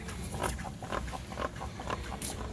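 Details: Cambering trike frame rocked side to side, parking brake released; rhythmic squeaky creaks about two a second from a dry pivot axle bushing and washers; oiling the pivot and working it back and forth should cure it.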